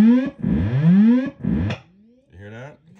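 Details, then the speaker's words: Vintage Carvin X100B tube guitar amp: loud howling bursts with sliding pitch cutting in and out as the two-conductor input cable is moved; broken conductor. "you see that this is broken the center conductor is fine but hold your ears watch this"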